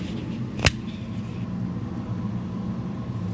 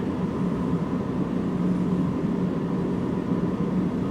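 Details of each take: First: Engine idling: thin high squeak chirping about twice a second over low rumble, from worn alternator brushes; an alternator brush rebuild is planned as the fix. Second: V8 idling with a steady, even rumble and no squeal after the alternator brushes were reseated; the previous alternator squeak is gone, repair apparently fixed.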